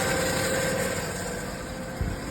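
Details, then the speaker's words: 1995 Ford F150 4.9L inline-six, M5OD manual, after fuel pump replacement and transmission reinstall: idling with a steady rough metallic grind throughout. Owner attributes it to the starter still engaging the flywheel, no engine knock; possibly a shimming issue, cause unconfirmed. "And it's from the starter. There's nothing in the motor knocking. There's nothing. It's just everything from the starter."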